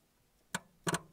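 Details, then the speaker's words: 1965 Ford Anglia 105E barn find, sat about 20 years, solenoid jumped with a wire: one sharp click then a quick double click, crisp and clean; solenoid works, but starter motor does not and needs bench testing. "oh [Laughter] we've got our functioning it's solenoid yeah don't actually have a functioning starter motor to go with it"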